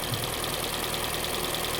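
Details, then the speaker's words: Kia Soul's first start after the engine and transmission were reinstalled, firing on the first click with the original old oil and no coolant yet: an even, settled idle with a quick steady patter, no knock or smoke. It sounds healthy. "well that sounds pretty good [Music] I'm happy with that [Music] no smoke everything looks good"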